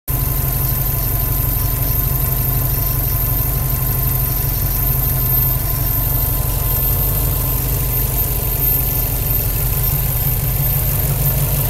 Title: WRX buzzing sound